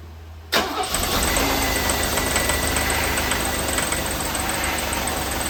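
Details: 1988 Mercedes 560 SEC (W126) V8 starting and idling: engine catches and settles into a rough idle with faint uneven tapping; knock present, grew louder until shut off, source not yet identified.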